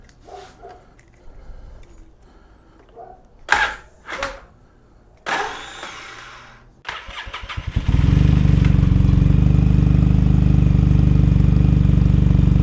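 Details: 2003 Polaris Sportsman 700 Twin ATV after fitting Big Gun exhaust and Dynojet jet kit to the carburetor, started with choke: after a few cranking tries it catches into a loud, deep, even idle with no misses, smoking; runs healthy.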